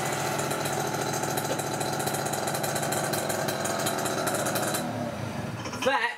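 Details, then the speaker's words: Peugeot Speedfight 2 50cc two-stroke scooter, after starter wiring, variator and carb repairs, riding test under load: busy, high, even buzz holding steady then fading; over 40 mph, climbs hills at 30-odd; strong and healthy. "is one very fast little ped let me tell you okay that is one very fast little ped rose really well cracked over 40 mile an hour"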